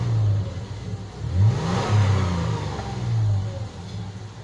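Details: 2007 Toyota FJ Cruiser, repaired crank-no-start (ECU fault): engine revs up and drops back smoothly several times, clean even note, no misses or knocks; healthy.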